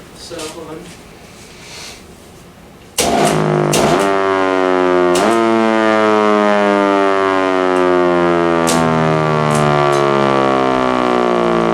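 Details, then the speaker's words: Thunderbolt 1000-series siren (4/5-port 1000T or ex-Chattanooga 1000) under test. It winds up into a loud steady wail broken by crackles and stutters; worn brushes, so both motors need commutators turned and undercut to be round again. "you can hear it it's doing the same thing that that with the brushes that's why I need to take both of the motors in and like get the commutators turned and then like undercut so that way um It's A Perfect Circle again"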